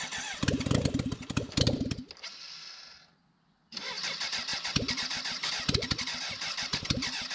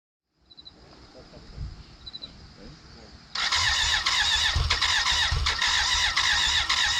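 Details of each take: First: 1991 BMW K100 LT, 987 cc fuel-injected four-cylinder, sat outside about 10 years, first start after head cleaning, new injectors and filter, radiator and muffler off: loud crisp firing, then sharp even unmuffled idle; runs properly, just no silencer. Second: 1991 BMW K100 LT, 987cc four-cylinder fuel-injected, left sitting outside about 10 years. Crank no start: steady, even cranking but it never fires. Causes found: a sticking valve with dirt in cylinder one's intake.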